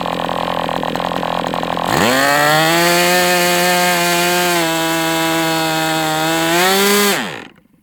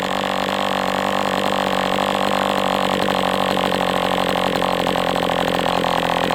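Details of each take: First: MDS 68 FS Pro four-stroke glow model engine on break-in, almost out of fuel and sucking air. High steady buzz climbs in pitch near the end, then dies as it leans out. Heavy exhaust smoke; carb appears to have been tampered with. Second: MDS 68 FS Pro glow engine during break-in at operating temperature, still tight: loud steady high buzz at even speed without surging or sagging; running cleanly, better than with the idle bar plug.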